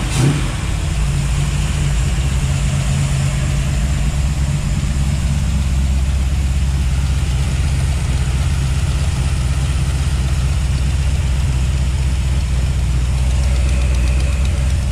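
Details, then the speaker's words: 1955 Chevy V8 with headers at idle, with a light clack low on the block keeping time with the engine. Owner ruled out the rocker arms and suspects the used fuel pump pushrod he installed. Fuel pump pushrod clacking. "well okay so it's not the rocker arms something down low up here i'm wondering if it's that fuel pump rod because i just used a used one that i had here"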